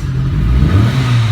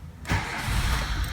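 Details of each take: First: 2007 Renault Logan 1.6 8-valve SOHC with hard starting, fuel-soaked plugs, smoke, unstable idle and backfiring; engine swells and falls with each throttle blip, revs stumbling and flat on the way up; suspected faulty MAP sensor circuit, to be checked for supply, ground and signal. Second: 2007 Renault Logan 1.6 8-valve single-cam that would not start: short crank catches at once and settles into a smooth, even idle with no stumble, entering the cold cycle; normal cold start.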